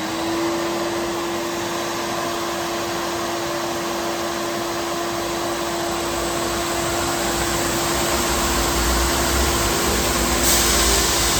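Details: Abrasive finishing machine with two heads (P120 then P180) cleaning flange surfaces of a 14 ft, about 6 in aluminum beam: steady even mid-pitched roar, no surging or chatter; normal running.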